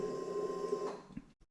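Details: 2016 Suzuki GSX-R600 after repair of the exhaust valve servomotor that caused an FI error code and strange noise: at ignition-on a soft, steady motor hum for about a second, then quiet, with no rattle.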